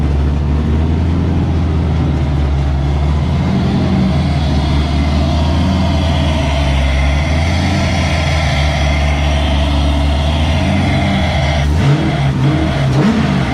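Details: LS7 V8 in a comp car with rear-mounted radiator, first start after about 3 months sitting and a service: deep, even burble holding steady with no misses or knocks, running on all 8 cylinders; healthy idle.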